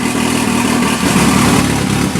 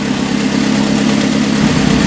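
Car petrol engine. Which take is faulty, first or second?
first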